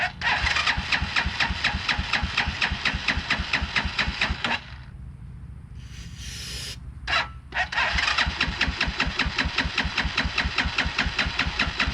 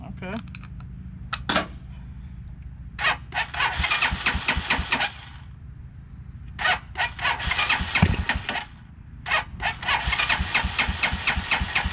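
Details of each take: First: 2010 Dongfeng DF250RTB 250cc single-cylinder air-cooled motorcycle, sat about 10 years: fires and chugs unevenly, then stalls because the choke was taken off too soon; restarted and runs. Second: 2010 Dongfeng DF250RTB 250cc air-cooled single, first start after 10 years sitting, choke taken off too soon: fires and runs in uneven bursts of blipped revs with gaps, ragged but running; normal running.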